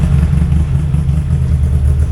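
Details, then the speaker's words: Yamaha VMax 700 triple two-stroke snowmobile, bought new in 2001 and unstarted since 2021, cold winter start: steady, even low burble at idle with no misses or knocks; runs well, may need slight idle adjustment. "good oh she runs so good that's great"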